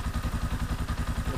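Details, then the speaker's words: Scorpio motorcycle inspected as custom-build base: steady fast single-cylinder thump with rough clatter each firing pulse; rpm abnormal, possibly broken cable; rough sound said to come from clutch area, valves need adjusting, clutch slightly loose. "terus kalau dari suara kalau Scorpio emang suaranya kasar ya itu terdapat di bagian kopling pasti kopinya itu bentar gatal"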